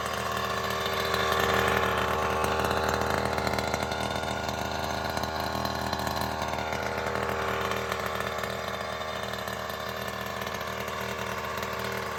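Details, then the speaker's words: Goped with freshly rebuilt Primal Raminator OBR 47cc SS reed-case engine, TR/OBR kit, just installed, fuel return eliminated: crisp, even, steady two-stroke buzz without misses or knocks; running healthy, sounds different from the former GP460. "I didn't do that on video, but sounds way different with this Reed case motor than it did when I had a standard GP460 with the full mod top end."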